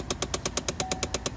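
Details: 2011 Chevrolet Impala, key on, engine off: sharp even clicking about eight per second behind the lowered glove compartment; a failing blend door actuator, more commonly the passenger side but possibly the driver side.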